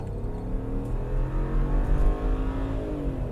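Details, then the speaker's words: BMW E90 335i with the N54 twin-turbo, chasing a boost pressure issue: full-throttle road-test pull to 6500 rpm, building boost well with a smooth, clean climbing note and no misfire or knock; a half-power icon came on afterward. "6500 arm pm guys she hauls ass I am putting this thing I'm putting the hammer down on it and she's pulling and she's building boost really really good"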